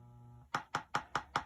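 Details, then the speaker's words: Williams Black Knight pinball sound board booting Leon's System 3–7 sound test ROM after replacing a faulty 6821 PIA: a short low buzz until the microprocessor shuts down the amplifier, then an even tick about five times a second, normal for this test ROM. "And then you hear the ticking, and that's characteristic of Leon's test ROM."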